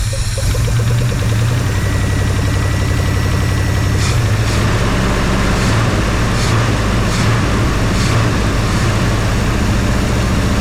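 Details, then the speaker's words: 1966 Ford Fairlane 390 FE V8 just after first start in about 20 years: loud, heavy rumble with uneven, lumpy beat and surges; carburetor untuned and leaking gas top and bottom; little smoke, likely number 1 cylinder. "And of course, she's gonna need some tuning up. And of course, we're not flooding gas, but she's not tuned with this carburetor."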